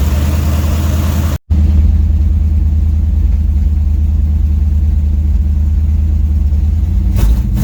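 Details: Dodge 318 V8, budget rebuild, reinstalled after a broken flex plate was replaced and cam and lifters inspected; warm at 175–180°F, oil pressure 60 psi: a deep, smooth, even idle burble with no knocks or misses; healthy.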